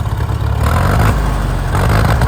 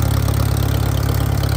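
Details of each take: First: Farmall M tractor, gasoline four-cylinder, just started after being slightly flooded, earlier missing possibly from a fouled plug: steady even low chugging idle with no skips, miss has cleared; normal idle. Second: Farmall M tractor with loader, live hydraulics and power steering: rough, loud, deep idle thumping with a raw exhaust bark and nothing damping it; loud exhaust, apparently missing its muffler.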